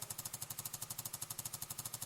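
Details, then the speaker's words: Bissell PowerFresh steam mop, pump tested on the medium setting: rapid, even clicking pulse around ten per second with a hissy top, faster than low and steady, which is normal healthy pump pulsing. "The medium should make the pump pulse a faster speed."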